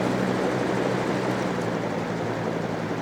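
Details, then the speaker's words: Trash-day fan after repairing a dog-chewed cord, run once it dried out from being sprayed with water, on medium: steady, even whoosh of air with no pitch wobble, scraping or rattle; it runs fine. "low high fan works just fine"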